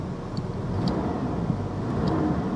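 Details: Salvage-auction truck with damaged left front, idling outdoors: steady even low rumble with no knocks or ticks. No warning lights, good oil pressure; normal healthy idle.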